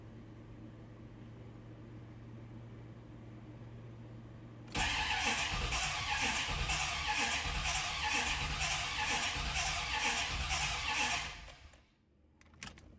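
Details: 1988 or 1989 Corvette, sat over winter, cranked in park: six seconds of uneven, galloping cranking at about two beats a second with no catch; spark present but no fuel reaching it, gallop assumed from long sitting.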